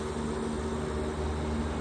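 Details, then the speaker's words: Trane Voyager 25-ton rooftop HVAC unit with 2024 compressors and POE oil leak, circuit 1 compressor started by pushing in contactor: steady even hum and low drone, no knocking or rattling; compressor running smoothly. "That is circuit 1. Came on pretty good."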